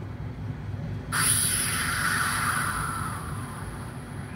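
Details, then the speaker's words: Engine checked for valve leaks without disassembly, with a pipe held to the camera mic: a sudden airy hiss rises and slowly fades on the compression stroke; air escaping past a leaking exhaust valve. "सुन पा रहे होंगे इसमें अ और यह leak होने के बाद जा रही है कि यह आपको ध्यान रखना है कि जो आवाज आएगी वह कंप्रेशन स्टॉक में आएगी"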